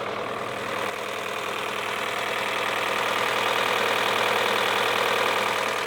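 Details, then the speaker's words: High-mileage car, about 175,000 miles, came with timing tools and a head gasket: uneven, lumpy, weak idle after starting with nearly no compression at first before it kicks in; rough running. "See, I started it earlier and there was like nearly like no compression and then eventually kicks in."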